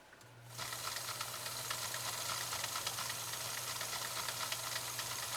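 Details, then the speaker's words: 1965 Husqvarna Viking 2000 sewing machine running with Slow Gear engaged, reducing speed to 1/5 of full speed for control: a soft even hum with light regular ticking after a quiet start; healthy running. "it does not increase the power it increases the control and it reduces the speed listen to this run here we go"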